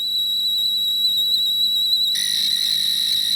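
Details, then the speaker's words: Sharp PC-1251 pocket computer with CE-125 tape deck, after replacing a belt that was too big. Program load plays a clean, steady whistle, then an even two-tone data warble with no dropouts; the tape loads properly. "I think that sounds a bit better."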